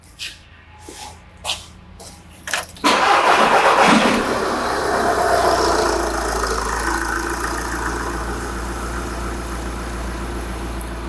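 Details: Engine cranking and settling into an even, steady idle during a pressure-transducer test of intake manifold pulsation. The pulsations are uniform and there are no knocks or misfires, so it idles normally.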